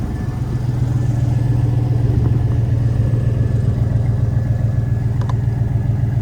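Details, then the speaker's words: 4x4 pickup that needs a new oil pump, at idle just after starting: steady, even low rumble with a smooth, regular beat and no knocks or ticks; the engine idles cleanly. "all right that sounds pretty nice pretty neat"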